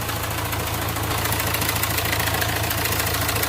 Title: Hyundai Varna timing chain noise